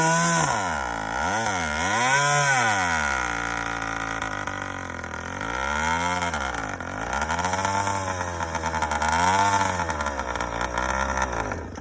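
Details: First run of a YD100 two-stroke after reinstalling a Dio reed valve, newly ported cylinder and self-windowed piston, still untuned, recorded outdoors with the phone in a pocket. It revs crisply up and down with throttle, no misfires or knocks; runs fine.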